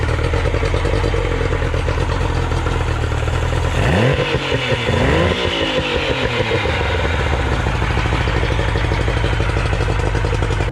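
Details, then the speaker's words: Outboard motor after adjustments, running: smooth steady note that rises cleanly on a quick rev and settles back, with no misses or clatter. Normal running. "so after adjusting everything the motor runs uh really good no problems check this out"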